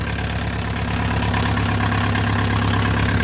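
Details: VW Mk2 Golf 1.6 diesel, freshly installed engine, first start, cold without choke: clattering fast, fairly even idle around three knocks a second; extra noise from a missing tube, to be replaced, not internal damage; noisy cold diesel idle.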